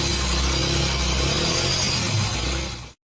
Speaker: اگه موتورت هم شاتون زده باشه این صدا رو میده.